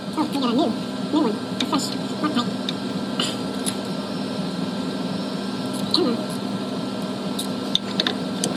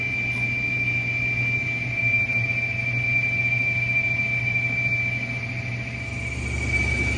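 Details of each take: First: Whirlpool Cabrio stator-driven washer, spin-only test after replacing the split slider W10734521, which had caused a whistle in spin with no codes. Steady motor hum with only light clicks and no whistle; the spin now sounds normal. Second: Whirlpool Cabrio stator-driven washer in test mode with the drain pump running: thin, steady high whistle over low motor hum, no codes, bearing sounds fine; cause was a split shift slider (W10734521), replaced.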